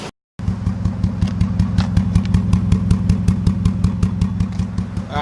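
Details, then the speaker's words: Mazda3 at idle: uneven lumpy exhaust chuff with regular stumbles; misfire caused by the holder securing an ignition coil coming loose, letting the coil drop down. "right there you can hear the misfire happening it's very very obvious I've actually already gone ahead and figured out what it was this stir right here this poll actually that's holding the missing coil on came loose and was just letting this kind of plop down a little bit"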